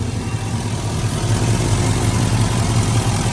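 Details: LS V8-swapped Toyota idling on fire-up after installing a new 1000hp fuel system with a Holley pump and fuel cell: deep, even idle with a steady low burble, no ticks or knocks; no heat issues found, healthy.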